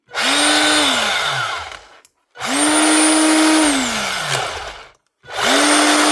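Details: Panasonic EY7880 SDS hammer drill, battery-powered, after repair with new brush ring and brushes fitted: three clean spin-ups to a steady high whine, each winding down smoothly with no grinding or sparking crackle; motor runs healthy.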